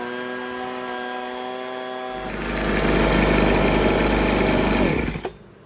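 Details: Husqvarna 125B two-stroke leaf blower after repair and high-speed carburettor adjustment, no air filter yet, blowing leaves. Steady whine rises to a smooth, full roar at throttle without stumbling or surging before shutting off; runs healthy.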